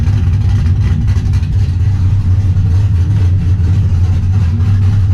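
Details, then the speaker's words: Trans Am V8 after replacing the corroded knock sensor with a new GM AC Delco part and a new harness, old code cleared: deep, steady rumble holding even as it revs, no knocking or misfire; running clean and healthy. "Alright guys, we got the knock sensors changed. I already started up, cleared the old code. Let's go ahead and let you guys hear it for the first time."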